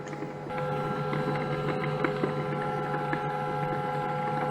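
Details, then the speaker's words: Brother MFC-9440CN laser printer printing after parts were cleaned: a steady droning hum with scattered sharp ticks. The noise sounds wrong; cause not pinned down. "oh I can print it oh it doesn't sound good at all hear that there's a bad sound"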